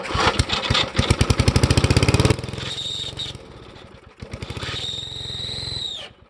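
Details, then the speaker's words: 1973 Briggs & Stratton engine on a vintage Parker Thatch-O-Matic, on two-stroke gas, oil with slight water: choppy cranking with a thin high squeal that stops with cranking; owner suspects a dry bearing inside the starter needing oil. "okay i think what's going on there seems to be some sort of bearing or something inside of the starter that is needing oil"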